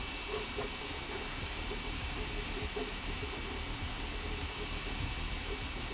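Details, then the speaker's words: Sovol SV06 Plus 3D printer printing, audio unfiltered. Steady hiss and soft stepper buzzing with light rhythmic ticks as the head moves, nothing scratchy from the bearings. Normal printing noise, reasonable for its price range. "I don't know about you but that sounds perfectly reasonable for a 3D printer in this price range"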